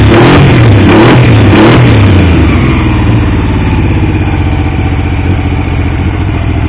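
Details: Triumph T150V triple after head and cylinder rebuild to cure oil leaks: revving blip settling into steady, slightly lumpy idle; oil pressure about 70 psi revving, 40 psi under 2000 rpm, oil return flow good; normal running.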